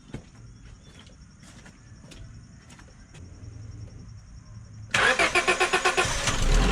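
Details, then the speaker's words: 2003 Honda Civic LX starting after battery replacement with a Group 51 battery: quiet, then engine catches cleanly and settles into a smooth, even idle; healthy start. "well the engine certainly sounds good here"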